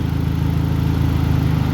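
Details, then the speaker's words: Car radiator cooling fan commanded to high speed via scanner bi-directional controls, after low speed also worked: steady low whir with even pulsing hum, constant speed, no rubbing or grinding; fans work properly. "there goes high speed that also works turn it off and now they're off okay fans are working everything's good"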